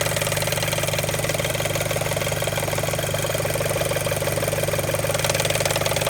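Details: Audi A4 B7, warm idle, no fault codes: a steady, fairly even flapping tick about three times a second over the engine; source not located, owner suspects a loose timing belt tensioner.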